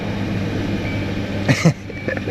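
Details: After an aftermarket catalytic converter was fitted and its extra O2 sensor bung plugged, the engine idles evenly with a smooth exhaust note and no puffing or ticking leak, plus a couple of brief handling knocks; normal idle.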